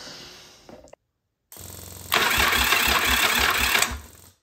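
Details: Yamaha Virago 1000 under restoration, with rewired starter and new cables, reinstalled starter drive and repaired fuel pump; spark plug caps off. The starter spins the engine at an even chuffing rhythm, no grinding or clicking. Normal starter cranking.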